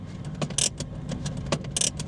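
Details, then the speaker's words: Used Renault Clio on its first drive after a recent service, with badly worn brakes and discs: a sharp metallic scrape flares about once per wheel turn over a quiet engine; something is catching, suspected brake backing plate; scraping while driving. "We've got what sounds like a a back plate there that's catching. Can you hear that? Something's grinding."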